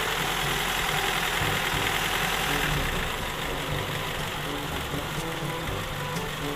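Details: Carbureted Toyota Corolla that won't hold idle: rough, hissy idle sags slightly in level and loses its beat; unstable idle from a carburetor problem.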